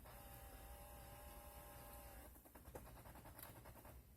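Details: Chrysler Town and Country HVAC diagnosis with the fan off, key in accessory position: mode door actuator switching to defrost/foot gives a faint steady electric whine of about two seconds ending in light clicks, operating normally.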